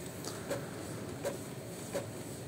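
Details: Epson ink-tank printer previously knocking in the carriage, belts cleaned and parts replaced: soft evenly spaced ticks about every 0.7 seconds in a quiet room; print head carriage travels smoothly, no knocking.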